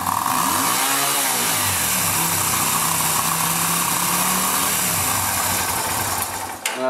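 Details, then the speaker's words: 2007 Yamaha Virago 250 after carburetor cleanout, with both suspected faulty temperature sensors disconnected: engine now picks up cleanly, pitch climbing and dropping with throttle, then holds a steady fast idle; normal revving. "I think that those are temperature sensors and they're faulty cuz I disconnected both of them and all of a sudden it wants to rev."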